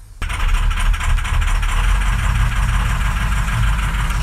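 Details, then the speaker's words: 2007 diesel truck, 119,000 miles, hard starting, codes for cylinders 1, 3, 5 and 7. Run cold, it barely runs: a lumpy, uneven idle with irregular thuds. Cylinders 1 and 7 are worst; failed injectors are causing the misfire. "holy crap it barely wants to run let's see real quick"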